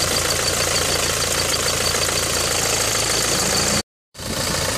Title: Peugeot 307 GLX Hdi 110HP 2003 Diesel Manual Engine Sound Problem